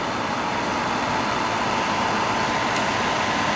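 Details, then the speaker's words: Llano RGB laptop cooler at less than halfway: a loud, steady rushing roar with a faint constant whistle. The fans are excessively loud, more noise-maker than cooler. "It's very effective as a noise making machine, but maybe not necessarily as a cooler, I don't know."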